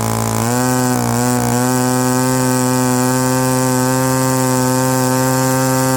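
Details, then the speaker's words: Byron Christen Eagle RC model plane, Quadra 50 gas engine revived after 25+ years; buzzing note climbs and holds high after a brief stumble, slightly soft and blubbery on top: just a hair rich on the high end. "All right, she sounds pretty good. Just a hair. uh rich on the high end, but not too shabby."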